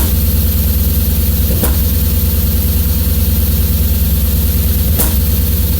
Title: S50 misfire warm